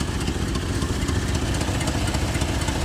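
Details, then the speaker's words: 1988 Chevrolet Suburban 2500, 5.7 L V8 (owner thinks), first start after six years of storage, smelling strongly of gas: steady idle with a fast sharp ticking puff on every beat from a broken, blowing exhaust header. "Where's the you obviously hear the header blow. And you see the shake?"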